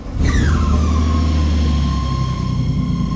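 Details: BMW E30 with B28 engine being replaced: engine catches, then a high thin squeal settles and holds steady over idle, heard as a noise in the gearbox/clutch area; owner suspects clutch disc installed backwards, not confirmed.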